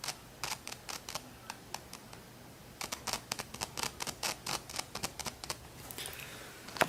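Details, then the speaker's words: Sansui AU-217 amplifier with a loose bass control nut: touching the knob, even with a finger, gives irregular scratchy crackles and pops in quick bursts, like it isn't earthed; holding the board tight stopped it. "As soon as I was touching this knob here, even with my finger, it was making it like it sounded like it wasn't earthed kind of thing."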